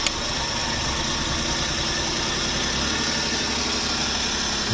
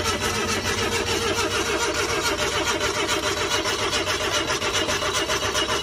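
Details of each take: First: Suzuki DA64V van with crank-no-start and water reaching the piston, now repaired: steady, even idle with no misses or knocks, holding speed smoothly; sounds healthy. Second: Suzuki DA64V van after flooding: steady, labored cranking at about two beats a second that never fires; crank-no-start because water is sitting in the cylinders on the pistons.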